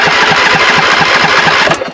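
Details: Craftsman 42in riding mower with 24 hp Briggs and Stratton V-twin, battery good, fuel in tank and filter: starter cranks in an even chugging rhythm, about eight pulses a second, but never fires. Cranks but no start.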